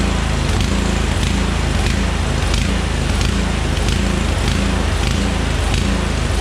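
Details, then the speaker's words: Murray Select riding mower, 13.5 hp Briggs & Stratton single, long unused, bottle-fed fuel: thumps unevenly at steady speed with smoke from two-stroke oil; rough rich running from flooding carburetor, needs carb cleaning. "It runs. It definitely needs a carb cleaning. That smoking is because that was two-stroke oil, and also the thing hasn't run."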